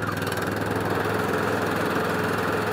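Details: Atco Balmoral 14SK mower with Kawasaki single-cylinder engine, started with choke, running steadily at an even fast pace, no misses or knocks; healthy.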